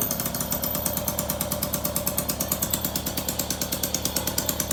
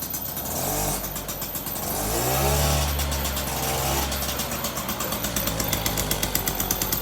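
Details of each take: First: Motobecane two-stroke moped, idle set too fast before adjustment at the idle adjust screw. Rapid, crisp, even, loud pulsing: high idle. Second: Motobecane two-stroke moped running great after a new carburetor install and idle adjustment, throttle blipped. The buzz rises and falls cleanly with each blip, then settles into an even popping idle; runs well.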